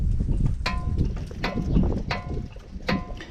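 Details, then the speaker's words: Mitsubishi Pajero 3.2 DID brake, wheel rocked by hand before removal: four sharp metallic clunks about every 0.75 s. The caliper visibly moves; it clunks badly while driving too. "Alors voilà, un truc vraiment bizarre. Avant de démonter la roue, je voulais vous faire voir ça quand même. Quand on bouge la jante, déjà on entend le bruit."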